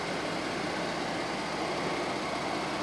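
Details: Ford 3.5L EcoBoost pickup after high-pressure fuel pump replacement for P0087/P053F no power, codes cleared: steady, even idle with smooth low hum, no misses or surges; fuel rail pressure 217 psi vs 210 desired, running normally.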